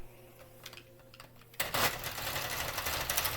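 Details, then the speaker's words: Sentro/Miaoke 48-needle hand-cranked knitting machine with a rattling clatter and a high squeak, the sound of a mechanism worn from many revolutions of heavy use. "You hear that squeaking? That's That's what it sounds like when you have have made made a lot of things or uh done a lot of revolutions with your machine."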